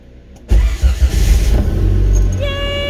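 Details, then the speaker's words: Trooper wagon first start after repair: brief crank, fires at once and settles into a deep steady run; after throttle-response problems, main relay replaced and distributor found failed, fuel pump primed; healthy start, low on fuel. "she's back she definitely needs gas no but she's back awesome"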